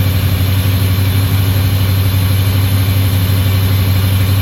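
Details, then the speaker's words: Pontiac GTO with built 6.0 V8, first start on untuned setup with little fuel: deep, even burble at a fast idle of about 1100 rpm, steady firing with no misses or knocks; normal idle. "all righty guys well I'm beyond stok that we finally got to actually hear the six lit run and it runs really really well"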